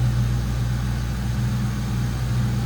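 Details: 1996 Ford Mustang GT 4.6L SOHC modular V8, aftermarket air filter, new battery: smooth, steady low rumble with no ticks, misses or surging; normal idle.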